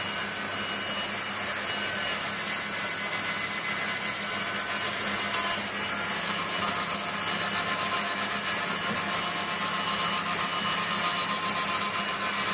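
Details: Waldown/Dumore tool post grinder internally grinding a bronze bush on a lathe, judged by ear because Sharpie can't reach: constant high hiss with uneven pulsing rather than a steady cut. The wheel touches only in spots, so the bore is not yet true.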